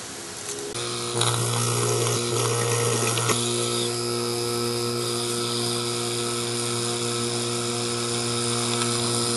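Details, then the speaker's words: Whirlpool rotary vane compressor, partly reassembled: steady motor hum with rough rattling whir and thin high whine, stalls when tightened down; motor bearing completely worn, previously overheated and locked up. "got somewhat back together it is worn the bearing is completely shot on the motor the when I go to tighten these down the motor just stalls out and walks up"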